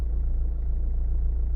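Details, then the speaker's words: Renault/Dacia 1.5 dCi diesel warmed up after cold-start misfire from a faulty injector. A deep, even rumble with a regular beat and no skips; only a slight vibration remains, then it idles smoothly and steadily. "But it's much better than the beginning. So more lower this number will get, better it will run. And actually it's ticking over now lovely."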